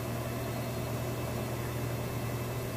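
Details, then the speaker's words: Kenmore Elite high-efficiency washer doing a fast spin within the rinse cycle on a heavy jeans and towel load: a steady, low, even hum with no knocking or thumping; smooth and healthy. "Okay, so still on the rinse cycle, but I wanted to show you a nice fast spin cycle within the rinse portion. See, it's nice, smooth, sounds"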